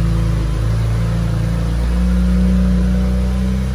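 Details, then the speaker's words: 2008 BMW 335xi E90 N54 first start after replacing radiator and upper hose, coolant topped up; smooth, even six-cylinder note rising and settling with revs, no knocks or rattles; normal engine revving, no leaks after 20-minute drive. "so i get to go the cat back on let's take this thing for a ride here's the first start up sounds good"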